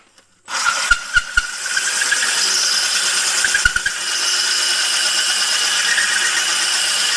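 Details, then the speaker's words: Drilling wet tile at low RPM with a diamond hole saw kept cool by a water-soaked sponge, light pressure: steady drill whir under even gritty hiss, unstrained, cutting a clean hole. "town low RPMs don't don't don't speed it up perfect hole"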